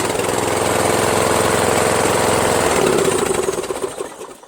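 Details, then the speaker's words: Small engine after fitting a starter rebuilt from two or three broken ones: steady, even thumping at about three and a half beats per second, then it winds down; runs great and sounds healthy. "this is great because that's not a new starter this is a starter that I made with like two or three other broken ones so I made a starter for the world that runs great"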